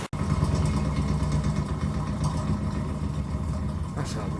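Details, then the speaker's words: Cellar King bar chiller condenser fan, installed about 4 years running 24/7, loud rough rattling rumble and hard shaking from badly worn motor bearings; one bearing seemingly non-existent. "switch her on and listen to how bad this thing sounds this has got shot bearings galore"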